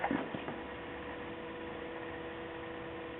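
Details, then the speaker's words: Toyota Prius xenon high-intensity headlamps with dirty lenses, fog lights on, key out of the car: after clicks, a faint steady electrical hum. Owner noticed one lamp flickering and wonders if it is about to blow. "sound is these crazy high-intensity headlamps so right here and the extremely dirty lenses now noticing a flicker in this one"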